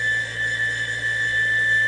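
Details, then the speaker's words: Shop heater blower motor runs with steady high-pitched squealing whine over low hum, worn motor bearings; motor struggling to start, fixed by replacing with two skateboard bearings. "when I came home it was squealing but at least it was still working"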